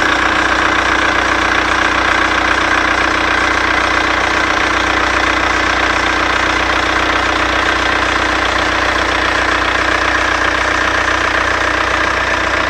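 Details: Seat Cordoba engine at steady idle with a constant thin whine over the engine; owner suspects the alternator belt.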